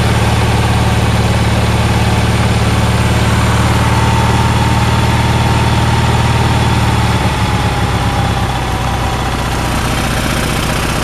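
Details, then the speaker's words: Onan twin generator started after sitting 4-6 months, with the fuel pump hooked up just before starting: a steady, even low drone with a smooth beat and no knocks or misses. It is running normally. "H is running pretty good"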